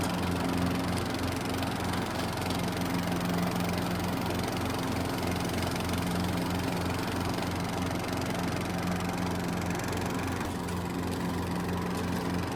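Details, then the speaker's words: Neglected lawn tractor after quick fix of PTO blade-drive belt that kept flying off when engaged (linkages stuck from sitting outside, leaves underneath; nothing broken): steady low engine drone with blades engaged, slightly uneven pulsing but holding speed, a touch rough; normal running. "There you have it, folks. She is back in action. She is hurting a little bit, but I tell you, that was kind of a quick and easy fix."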